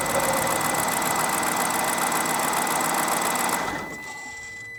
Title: BMW 7 Series E65 Cold Start Grinding Noise N62B44